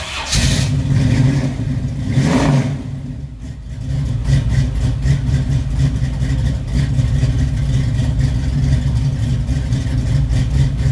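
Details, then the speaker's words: 1969 Camaro SS, maybe still a 350, described as juiced up, freshly finished: deep, choppy V8 idle with an uneven lope and sharp throttle blips, suggesting a big aftermarket cam. "I'd say it has a cam in it, wouldn't you, folks? I believe it has a cam."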